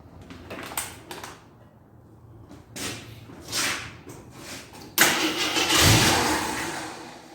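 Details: 1983 Jeep Scrambler barn find, sat 4–5 years, gas poured down the carburetor: uneven cranking bursts, then a brief rough roar of about five seconds that fades; won't keep running, owner unsure if underfuelling or flooding.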